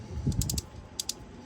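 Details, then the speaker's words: Harken 46 two-speed winch during teardown for cleaning and regreasing: main drive shaft turned by hand gives crisp light clicks in quick bunches, the pawls snapping over normally. "Here's the main drive shaft out of the center. It's got pawls and gears. You can hear the pawls clicking."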